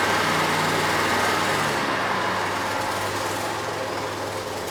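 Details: Bobcat (Ransomes 942205) zero-turn mower, Kohler SV730S twin, with safeties bypassed, started from seat in neutral with parking brake on: settles into steady, even idle easing slightly down, no misses or mechanical noise; normal idle.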